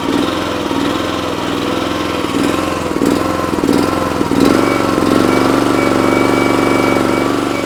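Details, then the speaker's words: Honda small engine on an Eastonmade 916 log splitter, surging up and down near idle but smooth at full throttle; owner suspects a clogged carburetor pilot (idle) jet, to be cleared with carb on machine. "When it's running full throttle, it actually seems to be running pretty smooth, but as you turn it down, it starts that surging back and forth."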